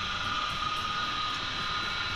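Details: Water pump motor that was noisy and drew little water, after bearing replacement and reassembly, primed with water and running while bolts are tightened evenly: steady, even whir with a clear high tone, no knocking or grinding.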